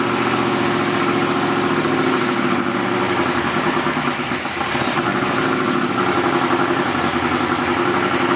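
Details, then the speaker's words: BMW E46 Formula Drift Pro 2 car with CBM Motorsports engine, first fire, idle being adjusted: loud, lumpy, choppy idle like a boat; not enough base idle air, so a hole will be drilled in the throttle body. "Trying to adjust the idle. Pretty choppy, huh? Sounds like a boat."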